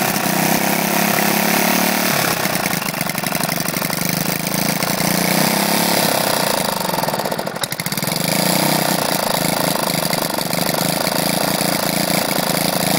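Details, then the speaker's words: Lifan single-cylinder engine after seized conrod big end from low oil, repaired only by polishing crank journal and cap with oily emery cloth: catches after a few pulls (carb had been off), settles to even steady idle, no knocking. "so they've heard is there she hasn't suffered any major effects there is just small problems they were tuning and stuff like that but no knocking you're banging your noises out of her"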